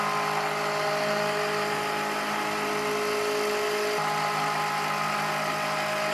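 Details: Milling spindle on a heavy roughing helix-spiral cut into a hole (to 26 mm diameter): steady high whine sags slightly partway through as it loses almost 200 RPM under load; the cutter survived.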